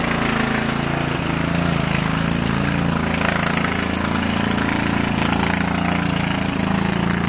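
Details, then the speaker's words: 2000 Murray lawn tractor with Briggs & Stratton 14.5 hp overhead-valve I/C Quiet engine and 6-speed transmission. It runs loud but steady, an even single-cylinder beat with no misses or knocks. Owner notes occasional flames from the muffler. Normal running. "This thing's very loud, and sometimes you can see flames shooting out of the muffler."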